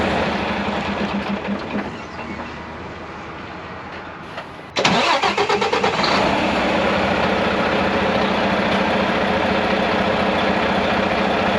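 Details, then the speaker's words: Mack MP8 / Volvo D13 truck diesel, recorded from outside, long-cranks after sitting or a fuel stop, injector cups already replaced: starter churns steadily about four beats a second for nearly five seconds before catching. "Okay guys, so I got it this time. If you was listening, you hear this long something is going on. Something is not right."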